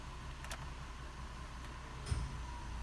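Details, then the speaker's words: 2005 GMC Envoy 4.2L at idle with code P0480 (cooling fan relay 1 control circuit): a single sharp click as the AC is turned on; the compressor clutch engages normally. "okay we heard the compressor click all right we can see the desired rising"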